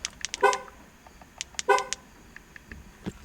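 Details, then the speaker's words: Car horn sounded via key fob in comparison with another car's horn; two short toots, each a full two-note chord with key jingle; healthy. "you have two horns that don't mean that so you're saying that two horns come together to make a deeper sound"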